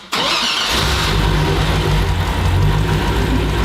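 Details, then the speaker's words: Matt's spud truck after rewiring, all running off key switch, starter wire not yet permanently run: starter engages cleanly on test crank and engine catches within a second into steady running; crank power confirmed, cranking works. "we got crank power. So, those just that just needs to be ran down to the starter to the starter wire."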